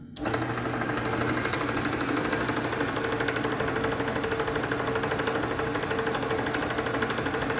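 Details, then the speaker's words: Delta saw after about two hours of repair, which had been tapping metal-on-metal before: spins up quickly to a steady, even buzz with no tapping; now running smoothly. "isn't that [Music] nice that sounds a whole lot better now"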